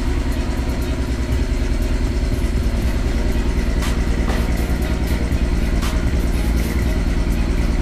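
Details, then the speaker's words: VW GTI at first cold start, awaiting R32 3.2 swap: rough, lumpy cold idle with an uneven stumble about every second; a cylinder misfiring. "getting ready to bring jerseys car in the garage first cold start will hear the misfire it sounds like garbage traduction"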